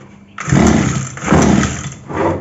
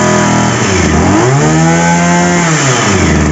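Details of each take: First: 2-stroke petrol power sprayer filled with half a litre of petrol mixed with 20 ml of 2T oil: three pull-start attempts turn it over without firing. It fails to start; next step is checking the fuel supply primer bulb. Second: Two-stroke petrol power sprayer after repair, started with choke raised: engine revs up and falls back, then settles into a steady, even two-stroke idle with no misses; normal running.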